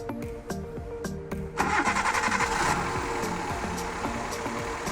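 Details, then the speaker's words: Old Maruti Suzuki Alto started after head gasket replacement, valve adjustment, new spark plug, belts, fresh engine oil and coolant, new radiator cap; short crank, catches cleanly, smooth even idle without knocking; sounds smooth with good power. "Guys അങ്ങനെ sound ഒക്കെ നല്ല smooth ആയിട്ടുണ്ട് നല്ല നല്ല പവറും കാര്യങ്ങളും ഒക്കെ വന്നിട്ടുണ്ട്"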